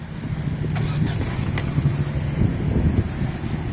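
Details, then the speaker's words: 1990s Ford Mondeo idling, heard from outside the car: very quiet, soft, even hum with no knocks or misses. The engine is only audible right close to the bonnet; normal idle. "You can't hear the engine. When you're like right close to the bonnet, that's really the only time you can hear it."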